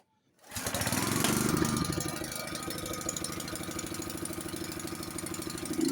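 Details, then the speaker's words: Honda snowblower cold start after sitting 7–8 months, on fresh gas with oil checked, during pre-winter checks: starts on the first pull and settles into a steady, even idle with no misses or knocks; normal. "Let's turn the key on. I haven't started this in about 7 or 8 months, so let's see what happens."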